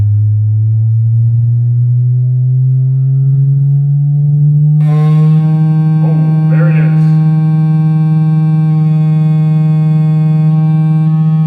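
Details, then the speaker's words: Cerwin Vega AT12 speaker playing a slow sine sweep from about 8 Hz: loud buzzing rattle suddenly joins in as the cabinet breaks apart from loud use, the same rattle heard with music. "so that was pretty easy to figure out it was pretty loud that's what i heard when i had music going on them"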